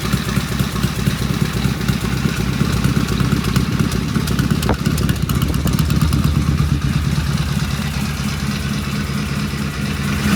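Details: Vintage British twin motorcycle "Fred" first start on the lift with primary open and pseudo-Dunstall mufflers; steady, even deep regular idle beat with light mechanical clatter, runs smooth and healthy.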